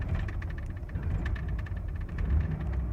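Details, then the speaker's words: 1993 Ford F-150 4.9 inline-six before repair: rough idle that bounces and surges on a light throttle blip, bogs, hesitates and nearly dies on letting off. The cause was a failed MAP sensor, which replacement fixed. "so the problem was on Startup it would idle really rough and it would bog down and it would hesitate really bad on gas and it would fluctuate it would never keep the same RPM"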